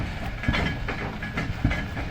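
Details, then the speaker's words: Donor 1993 Chevy C1500 with 350 TBI engine, rolling on tow: low hollow clunks repeat about every half second, following driveshaft rotation. Rhythmic driveline clunk, cause unknown; the seller said it would be fine. "Clunk, clunk, clunk."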